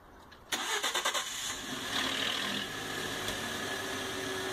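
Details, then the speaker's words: Engine start-up audio example: a quick run of sharp metallic rattles over cranking before settling to idle, the telltale sound of a worn timing chain that should be replaced. "that's what's going to cause those noises that you need to be on the lookout for because that's a telltale sign that your timing chain is on its way out the door and should be replaced"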